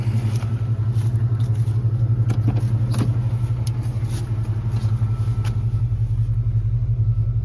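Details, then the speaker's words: Engine warmed to operating temperature with good oil pressure, after earlier ticking went away once warm: steady idle with light tick about three per second over the rumble from an unbalanced pulley. "Hear that ticking noise right there? That's that pulley making that noise. That's that pulley that's unbalanced."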